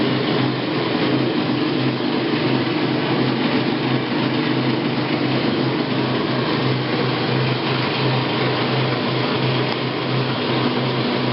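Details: Admiral AAV7000AWW top-load washer running with loud steady roaring hum and low drone, still present after replacing drive belt; cause unknown.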